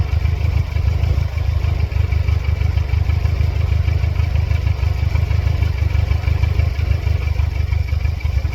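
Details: 1999 Mercedes-Benz C230 Kompressor W202 with a flashing check engine light, sensors plugged back in after a test: low, lumpy idle that wavers and stumbles; throttle response is back, but the engine struggles and the cause is not pinned down.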